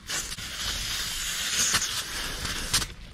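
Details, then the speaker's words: Flame King 1 lb propane tank being refilled from a larger tank, main valve closed and the fill adapter unscrewed: short hissing bursts of trapped propane that taper off; normal small residual gas release. "here's the part where it may come out a little bit of propane so you want to make sure wear gloves for this part too and you just kind of spin this guy off it's going to lose a little bit but that's okay"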